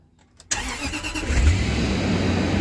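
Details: Range Rover Sport supercharged V8 (right-hand drive) after starter replacement: a brief crank, then the engine catches quickly and settles into a smooth, steady idle with no starter grinding. Normal start and idle.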